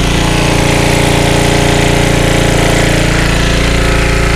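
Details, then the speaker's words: Early-1980s Generac S1500 portable generator on a cold day, running after a starting-fluid start: loud, steady single-cylinder chug, fast even beat, no misses or surging; hard initial startup, sometimes stalls. "I got to get out of there fumes she's running well thank you guys we did it kept spraying it with the starting flu and we got it going now she's running"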